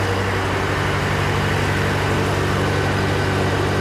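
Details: John Deere 401C diesel idling, with a cracked block and suspected liner O-ring leaks. Lumpy idle with a steady stumble about three times a second. A temperature gauge shows cylinder 3 dead while 4 and the others are hot, and the owner concludes it was an injector problem.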